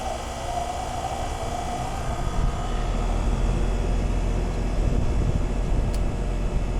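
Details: Newly installed residential AC condenser running after startup, before refrigerant charge check: even low hum with steady fan rush and compressor drone, no rattles, squeals or cycling; healthy.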